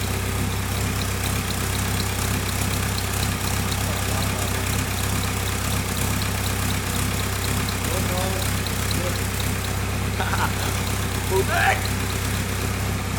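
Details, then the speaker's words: VW Caddy 2K with a newly fitted 2.0 BKD diesel, first start: steady, even low diesel rumble with no knocks or misses; the engine idles smoothly and sounds healthy. "sick so that's a van done dusted engine runs that's good obviously I didn't know anything about this engine sounds good"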